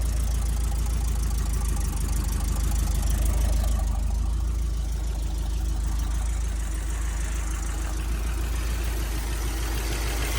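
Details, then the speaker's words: Toyota LN65 Hilux 253 V8 after a decade sitting, idling through factory exhaust; light regular top-end rattle riding the rumble; owner considers an oil and filter change. "I've had it idling now for about 20 minutes. The rattling noise is almost all but gone."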